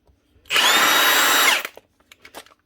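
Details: Apparently 2021 Milwaukee M18 ONEFHIWF12 1/2-inch impact wrench, fairly badly worn, after its rear bearing plate was replaced to cure rattling and growling. It free-spins for about a second with a clean, steady whine and no rattle, scrape or grind.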